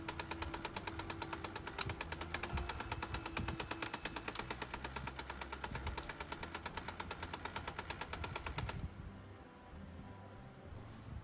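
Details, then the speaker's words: HP LaserJet M202dw printer during print run: sharp regular clacking about three per second, then stops; caused by the worn lock on the motor timing-belt pulley. "तो ये देखो दोस्तों ये खटखट खटखट कर रहा है। जो इसकी बेल्ट है मोटर की बेल्ट इस पर फिक्स होती है। यह पब्लिंग कर रहा है। इसकी वजह से हमारे खटखट वाली आवाज आ रही है।"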